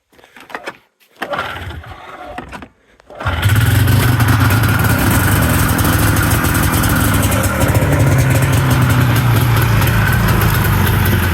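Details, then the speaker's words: 1994 V-Max 500 two-stroke with non-stock exhaust, after resealing exhaust leaks and ~15 h cure; cold start catches after a few pulls, a poof at start, then steady even burble with no puffing or ticking; sounds better. "It might have blew a little bit of out, but definitely sounds better than it did, I think."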